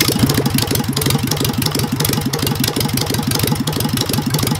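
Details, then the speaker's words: Engine with Solex 30 PICT carburettor, carb flooding fixed and timing checked okay, warm idle: loud heavy tapping roughly three times a second from the cylinders; feared big end, possibly valves, cause not confirmed. "uh timing is all right so we need to there's a there's a heavy tapping sound coming out of those cylinders i'm hoping it's not a big end or something serious"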